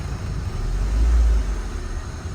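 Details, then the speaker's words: Honda Civic with rough idle when the aircon is on, tested after adjusting the ICV idle screw: low, steady petrol idle with one brief, mild swell in the rumble and no real stumbling. "So nung tinest namin gamit yung ICV ko and stock box ko, maganda yung idle niya. Hindi siya bumabagsak."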